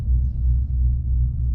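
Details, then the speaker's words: 2015 GMC Sierra 1500 Denali on 295/55/20 Nitto Ridge Grappler hybrid-terrain tires after 2 years, crawling speed: deep rumble pulsing two to three times a second from the wide tread lugs; normal, tires ride stiff. "you don't know how much you can hear tire noise by your exhaust too but aside from being really stiff these tires"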